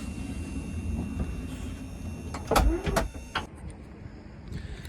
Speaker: so we'll just hit this to close up the door on the ramp so the ramp will go right back in car will raise itself back up and the door will close